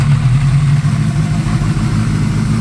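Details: Honda CB550 first start after rebuild, with pod filters and 110 jets, choke off and already warmed for a minute or two: even, low four-cylinder burble with a steady beat and no misses. Normal idle.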